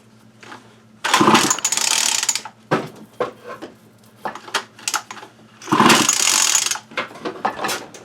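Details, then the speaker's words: 2019 Remington Rustler RM2510 25cc curved-shaft trimmer that has spark and a small primer leak: two long ratcheting cord pulls with no firing. The recoil starter drags and doesn't pull properly even after the pull string was adjusted. "I still think I adjusted that string, the pull string, and still acts like it's going to have some issues. Doesn't pull like it should."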